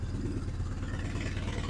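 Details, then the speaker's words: BMW R1100R boxer twin after valve clearance adjustment and spark plug replacement, started cold without choke after days unused: even, steady low thump at idle with no misses, knocks or ticks; normal cold idle. "that's running beautifully so as you can hear that's running beautifully for this bike considering it's cold starting without any choke"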